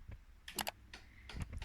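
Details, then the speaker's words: Miele W2839 built-in washing machine in service test mode, component test P3/P4 as the detergent drawer takes water; a few short sharp clicks as the selector steps; normal detergent drawer selector ticking. "4 suyu alıyor deterjanlık Tan Yine ses geliyor"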